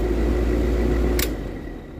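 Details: Old R22 air conditioner compressor, after fitting a different capacitor, fails to start drawing 72 amps with burnt smell and smoke; heavy steady low hum, no spin-up, then click: locked rotor from melted terminal pin blown out.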